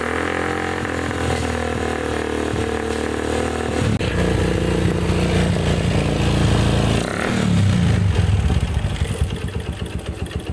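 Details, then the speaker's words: Yamaha Jupiter MX carbureted small single, smoking: rough, uneven, loose clatter at idle and blips from the block, piston suspected; worn cylinder bore, to be confirmed by opening. "Ini suara bagian blok juga kasar, dan kita juga harus dulu dan kita lihat di bagian blok ini terdengar suaranya kayak tiang seher juga suara, tiang piston juga suara, tapi kita harus buka dulu biar ada kepastian dan kita lihat."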